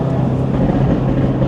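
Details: Audi RS3 2.5-litre five-cylinder on a cold day, driving: deep, lumpy burble with uneven low-rpm roughness that turns smooth; owner guesses cam change, a friend suggests wastegate position, cause unknown.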